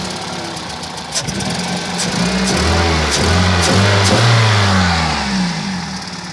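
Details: 2001 Toyota Celica VVT-i, 140,000 km: revs blipped, stumbling unevenly with sharp pops; misfire logged on cylinders 2 and 3 with P0300 and occasional P0420, engine shakes at low rpm, worse when warm.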